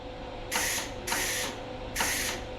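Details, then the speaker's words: Welding machine given to the owner and never used, trigger pulled with fans off to check shielding gas; three sharp, strong hisses, one per pull, and flow seems excessive. Owner suspects the regulator setting. "Okay, that way I can hit the trigger and see if there's gas coming out. Oh. That seems like a lot."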